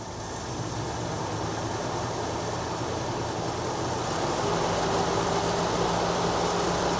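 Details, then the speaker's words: 1966 Jeep Gladiator, first drive in 24 years: idle turned back down and running low, even and quiet with no misses or knocks; oil pressure about 20, coolant around 150, some smoke noticed afterwards. "Right about there seems good, guys. We're right in the middle, nice low idle. This thing's quiet as can be up here."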